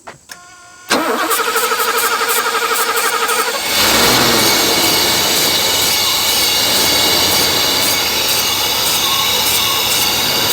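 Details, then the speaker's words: Pre-merger AMG Mercedes 500 SEL, sat 27 years, running on sprayed starting fluid pending a fuel pump and smoking from treatment put in the cylinders: cranks, catches and runs evenly and smoothly with no knocks or misses, normal running. "run so good it's so smooth and so quiet"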